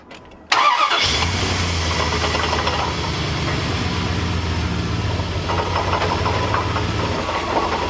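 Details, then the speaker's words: 1999 Dodge Ram 5.9L V8, almost 300,000 miles: quick crank and catch, then loud idle with coarse, shaking low thrum; harmonic balancer broke apart and its outer ring spins loose, causing major vibration. "this is the harmonic balancer. That is not supposed to do that."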